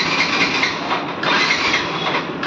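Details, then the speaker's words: Yamaha FZ version 2 motorcycle that won't start, battery already replaced elsewhere without effect: starter whirs in long cranking bursts but the engine never catches; the fuel pump inside the tank has failed, so no fuel reaches the engine. "Start হবে না ভাই। আপনার যে ব্যাটারিটা যে লাগাইছে, battery লাগিয়ে কিন্তু কোনো কাজ হবে না।"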